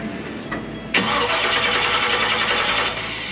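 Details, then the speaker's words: 1957 Chevy on its first start attempt, possibly flooded: the starter cranks the engine about two seconds with an even churn, but it never fires. No spark is found; power to the coil, distributor cap and rotor are still unchecked. Crank, no start, no spark. "no spark some reason you're not getting spark you got power to the coil"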